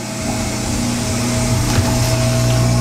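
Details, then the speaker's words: 2005 Kenmore side-loader washer, about 14 years old and run daily: a steady motor drone with a thin constant squeal while the pump runs, getting worse. The pump is suspected worn, and the owner is running it until it locks. "hear it squealing a little bit. It's getting worse."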